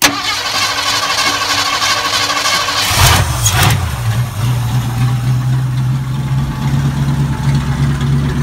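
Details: 1979 Ford F-100 Custom 302 V8 with open headers, long-stored truck needing carb work: brief starter spin, catches at once, settles into a deep, steady, even idle; healthy start, no smoke.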